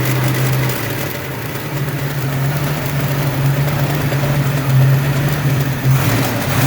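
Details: Ford 302 5.0 V8, never run before: low uneven idle with rough knocking undertone swelling slightly with revs; persists with belts off, unchanged pulling each plug wire; owner suspects piston slap, broken wrist pin, timing chain or torque converter area, unconfirmed.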